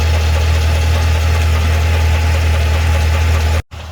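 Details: 2012 Cadillac CTS-V: steady heavy idle with light tick about four times a second; ticking/knocking at idle, source unconfirmed.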